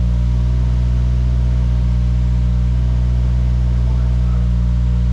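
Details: Subaru FA20 WRX (2015–2021) first start after engine rebuild, fresh 93 octane fuel and new tune: deep, even, steady hum with no knocks or misses; an oil leak later appeared at the aftermarket oil cooler fitting.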